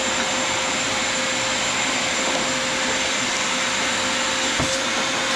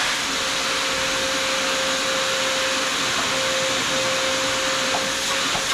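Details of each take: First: Vacuum after a napkin clog was removed: steady, even high-pitched whir with a constant tone and no surging or choking, pulling freely. Normal running. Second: Shop vacuum used while servicing a Troy-Bilt Pony riding mower, after it sucked up something that clogged it: steady high whistle over the vacuum's rushing air throughout. Clogged intake whistle.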